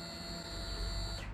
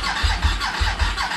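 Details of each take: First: you could hear that that's the fuel upon Prime it Second: Suzuki SV1000S salvage project bike, first start attempt after priming the fuel pump with the clutch switch depressed. Laboured, uneven cranking at under two turns a second that never fires. Slow cranking with no start, suspected flat battery.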